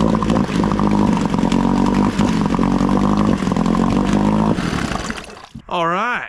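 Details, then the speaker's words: Old outboard on a cheap aluminum flip boat, carburetor float showing no overflow leak, running smoky: fairly even idle with small irregular stumbles and jerks; lean low-speed mixture, to be fixed via carburetor low-speed adjustment screw. "she's got a little bit of a lean sneeze you hear that little jerking it does typically reminiscent of when an engine's running too lean too much air not enough fuel"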